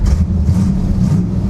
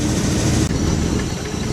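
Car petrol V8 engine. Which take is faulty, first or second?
second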